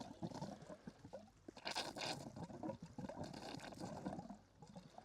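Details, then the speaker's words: Solar water pump pushing through 200 feet of hose: irregular gurgling, splashing, chuggy spurts with uneven surges as air clears the long hose, then a good steady stream; sputtering flow. "And we got through 200 feet of hose, and it's sputtering, it's spurring, and guess what? There we go."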